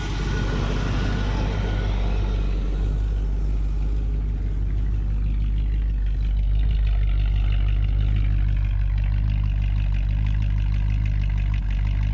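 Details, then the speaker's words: 1958 Chevy Biscayne hot rod V8 idling; heard from out back, all eight cylinders humming, deep steady even idle, no misses; charging, good oil pressure, vacuum and fuel; temp sender possibly wrong part. "a lot better out back i can hear all eight cylinders just humming"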